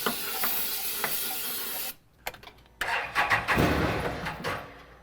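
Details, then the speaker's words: 2016 Can-Am Defender HD10 XT abandoned about five years in the Arizona desert: hissing starting-fluid spray, a pause, then the engine catches and runs a few rough seconds before fading, confirming fuel starvation; the electric fuel pump leaks. "so this is cool like we this is a fuel issue clearly because that's Fuel"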